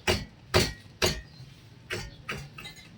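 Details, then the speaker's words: Second-hand Toyota Vios, recently serviced with new brake pads, wheel lifted on jack and rocked by hand: sharp metallic clunks about two a second; knock from brake caliper. "Grabe naman, sa brake caliper nang gagaling yung ingay."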